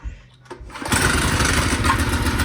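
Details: Tote Gote mini bike small engine, cold start with choke after rewiring the ignition key switch: brief crank, catches at about one second and runs steady and even with no misses or knocks; normal running.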